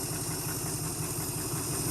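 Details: 1971 Chrysler eight-door airport car, epoxy-patched cracked block, run without coolant and getting warm: short stretch of steady, even idle with a smooth low rumble, no knocks or misses; engine sounds healthy.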